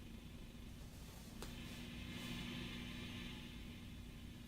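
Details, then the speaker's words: Fender Blues Deluxe Reissue guitar amp, with all tubes newly replaced after cutting out mid-set, switched on from standby and warming up: a faint, steady low hum settles in after a click; normal hum. "now this is lit this is lit and that is lit and you can hear it start to hum now"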